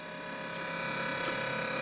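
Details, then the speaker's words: 95-litre dual-zone camping fridge in a Prado; compressor has become noisier over recent months, giving a steady whirring hum with high tones and faint ticking; owner suspects it took a bump, still cools fine. "it has got a bit noisy over the last couple of months the compressors i don't know what's happened there must have taken a bump but a little bit noisy if you can hear it"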